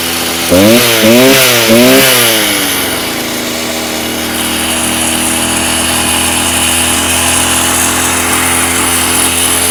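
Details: Stihl TS350 Super cut-off saw, two-stroke, restarted after rebuild with new cylinder, piston, crank bearings and seals: revs rise and fall in blips, hesitating on pickup, then drop to a steady idle; boggy running, carb being tuned.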